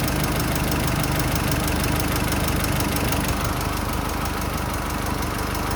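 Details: Nissan Pathfinder R51 diesel idling: steady clatter with a thin continuous high whistle over it; turbo whine.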